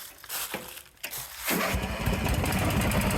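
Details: Vintage Craftsman 917 lawn tractor: a few quiet clicks, then it catches at once and runs steadily with no grinding or dragging. Normal start.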